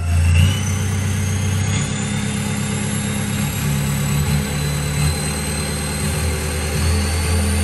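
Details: Toyota Revo 2.8 diesel with the stock turbo whistling again. Diesel rumble with a thin high whistle that climbs as the revs rise; turbo whistle, cause not yet found.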